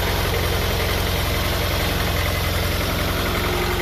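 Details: Honda Prelude (older model) misfiring at idle: uneven, lumpy pulsing about four beats a second, engine shaking more than usual, popping "brapping" exhaust; spark plugs suspected and being replaced with platinum plugs.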